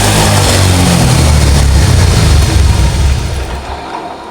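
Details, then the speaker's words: Honda Vario 125 scooter that stalled after washing with water in the combustion chamber, kick-started with the exhaust refitted: revs cleanly and settles to a steady low exhaust beat. Water is blown out of the exhaust, and it runs healthy. "Ini bukan ngebul Pak. Ini yang keluar dari knalpot saat kita gas itu air Pak."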